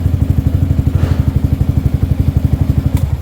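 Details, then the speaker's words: Sniper 155 bored to 175cc, 22,000 km, after swapping the stock cam chain tensioner for a manual tensioner: the single-cylinder thumps steadily at about four pulses a second with a brief blip, no ticking, now quiet and healthy. "Mga boss, yan, palit na ng manual tensioner. Naka-manual na yun mga boss. Tahimik na siya."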